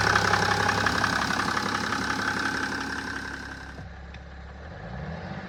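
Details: 2007 BMW 530d E60/E61 LCI, M57N2 diesel: steady light ticking about four per second over the idle clatter; owner suspects bearings or valves, unconfirmed; engine ticking.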